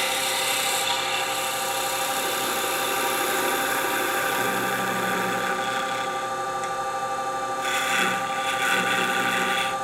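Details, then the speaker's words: Wood lathe turning a bell ornament: skew cuts on the thin, unsupported end produce a buzzing chatter as the workpiece vibrates; tailstock support with a cloth pad is suggested as a fix. "You hear the vibration out there. He's not happy out there. I could bring the tailstock up, put a piece of cotton or cloth in there and support that."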